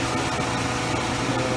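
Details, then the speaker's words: Old White ventless shop heater after restoration, burner lit: even rushing air with a steady hum and no rattles or scraping; the blower runs normally. "It's blowing. It's actually a ventless system, so you don't want to use it in a sealed environment"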